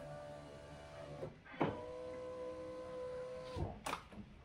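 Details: Fiat 500/Abarth 500 electric window motor runs with a steady even hum, stops with a soft thunk, then runs again cleanly, after fixing window rattle with a screw and replacing the door check strap.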